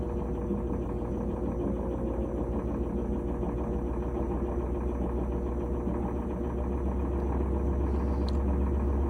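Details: GE top-load washer after replacing the lid switch/lid lock that had clicked and failed to lock in spin; steady even low hum with smooth high-speed spin, no clicking or knocking, running normally.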